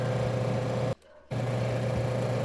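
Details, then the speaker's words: Refrigerator compressor with shorted winding: loud harsh low hum, clamp meter shows over 30 A spike, then abrupt cutout as thermal protector trips, two distinct sounds; compressor must be replaced. "ouve são dois barulhos O primeiro é do curto em si o segundo do protetor térmico desligando"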